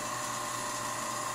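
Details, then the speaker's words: Rebuilt, water-cooled Leybold Turbovac 150 turbomolecular pump switching from acceleration to normal mode as pressure drops. It gives a clean, steady high whine near a thousand hertz with no grinding or wobble, running normally. "oh you can hear it spinning up wo wo wo look look look see it was at 5 now it's at 1 perfect you can hear the whining here"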